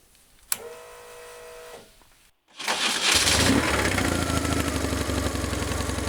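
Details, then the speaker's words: 2004 BMW R1150GS Adventure boxer, bought as a non-runner, after the starter was removed and refitted: a brief steady starter whir, a pause, then the engine catches at once and settles into an even, healthy run; normal cranking and start. "runs! Will it run again? Of course it runs."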